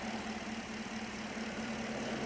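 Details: 2016 Holden Commodore VF 6.2 L LS3 V8 with misfire, stethoscope on a driver-side injector (cylinders 2-8) at idle: fast, even ticking over the idle hum; normal fuel injector clicking.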